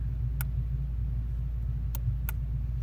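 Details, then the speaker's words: 2005 Honda Accord with no spark and stalling over bumps: the main ignition coil relay (brown) has loose terminals and chatters, giving sharp irregular clicks over a low hum with ignition on; pressing it down restores connection and the engine runs. "but it ended up being this ignition coil this brown one right here okay so ignition on you can listen it'll start clicking"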